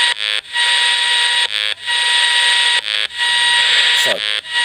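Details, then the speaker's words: Desulfator connected to a battery bank, picked up on a radio receiver held nearby: steady, evenly spaced buzzing bursts about every 1.3 seconds, matching its LED; normal desulfator pulsing, not the charge controller's tones. "i was wondering whether those funny tones are a desulfating cycle built into this and as it would happen in the same here just here i have a desulfator in action we'll try the radio is definitely the desulfator as it was going the led"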